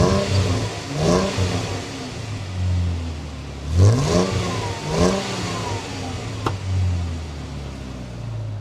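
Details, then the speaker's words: 2016 Jeep Wrangler Rubicon JK V6 after new MagnaFlow muffler install: deep exhaust note rises cleanly through a few revs and drops back to smooth idle, no misfire; healthy, no longer vacuum-cleaner sounding. "if you were expecting a coyote V8 sound you're probably disappointed but the sound to me is throw deer it's a little bit more shall we say honest and certainly more Charming"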